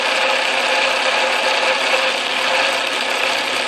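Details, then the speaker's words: Atlas Craftsman lathe after shimming the tumbler gear to cure gear lash, cross feed engaged under load: even, steady whirring gear mesh with only faint rattling and no heavy clatter; the gear train is properly meshed and much quieter than before. "I think it's quite a bit quieter if you listen to this uh lathe in other videos it was making quite a strong racket I don't hear any substantial sound I hear a little bit of rattling here but it's all so faint that it doesn't really seem to matter"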